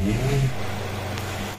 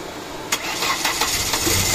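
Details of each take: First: 2004–2006 Ford Escape 2.0 automatic that stalled in traffic with check engine light; after crankshaft sensor wire repair, engine starts in one click, settles into steady even idle, no shake or misfire, no check engine light. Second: Ford Escape 2.0 automatic, check engine light, stalling in traffic: short cranking bursts with sharp clicks, engine barely catches and runs unevenly; intermittent no-start as moving the crank sensor wire, which looks broken, kills it; rewiring planned.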